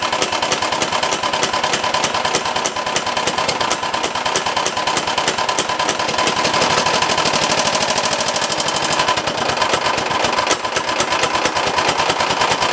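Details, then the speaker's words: 389cc 13hp single on an off-road kart, first fire-up in 6 years after install and an oil top-up, makes a hard, fast metallic clatter about three knocks a second while running rough. The owner suspects the connecting rod broke off the piston, which is unconfirmed. "Now when I go the other way, I think the rod broke off from the piston. So we'll have to tear that apart and see if we can get a new rod and a piston and see if the block is okay."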